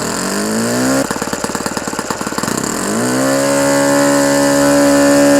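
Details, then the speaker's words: Fully restored OS FS-120 Surpass four-stroke glow model engine, first run during break-in, tach reading about 8730 rpm, mixture still slightly rich: brief stumbling crackle, then a clean, steady high buzz; healthy high-rpm running. "et on l'entend bien qu'il ronronne. Encore un petit peu trop riche, mais je vais le laisser comme ça pour aller dans les tours pour le moteur."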